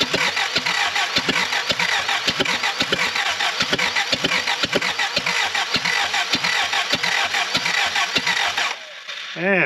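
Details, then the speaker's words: Willys L-134 engine in a Jeep FC-150 frame, fitted with used spark plugs: starter churns in steady pulses about twice a second with a few half-catches that never fire. Cranks but won't start. "so close so close why won't it fire i've got one other trick up my sleeve for this kind of thing where motor is almost running but not quite"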